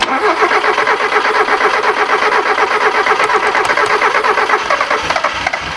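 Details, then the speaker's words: Ford KE TX3 Turbo B6T twin cam manual, crank-no-start. Spark now believed present. Injectors thought stuck with bad fuel. Aerostart tried with a jump pack. Steady, even cranking for seconds with no catch. Suspected clogged injectors; relays still to check. "we're hoping now that we have spark what we think and the injectors are stuck with shitty fuel so we're just gonna try arrow start and it should go busting our balls this one guys"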